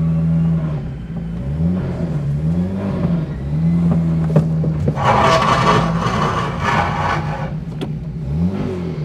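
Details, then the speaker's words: Low engine drone while an Austin Allegro creeps along, with dry scraping rasp coming and going: tyre rubbing the wheel arch as the car sits wonky on one side, presumed Hydragas suspension. "it's the wheel Arch on the wheel yeah look because it's because it's wonky on one side because of the hydro gas I presume yeah"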